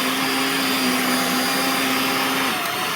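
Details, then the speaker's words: Vacuum cleaner (Dyson/Shark) on its high-speed setting after a deep clean and reassembly: a steady, even high-pitched motor whine that dips slightly at the end, normal running at high speed. "okay this has a low speed and a high speed [Music] it's low that's high"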